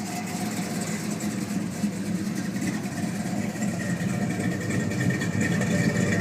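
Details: 1972 Chevelle SS, 502ci RamJet fuel-injected V8 of over 500hp, Flowmaster exhausts, recorded from behind the car: a deep, steady rumble at idle with an even beat and no misses or ticks. Healthy exhaust note.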